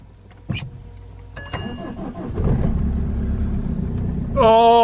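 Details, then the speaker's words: BMW start right after installing a new Yuasa HSB110 12V battery to fix a starting issue. Brisk, quick cranking for about two seconds, noticeably faster than before, then the engine catches cleanly; healthy start with good battery power. "she fires she's working come on i can't tell you how happy i'm to hear that engine perk now what i will say is that that fire that turned the engine turning so much quicker"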